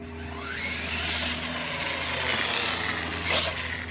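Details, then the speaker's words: DHK Maximus 1/8 scale brushless RC truck after replacing the front differential gearbox, test run on a gravel driveway at 91°F: motor whine rises smoothly with no clicking, grinding or skipping from the gears; drivetrain sounds smooth. "So yeah, let's do a little test run in my driveway because it's burning hot outside."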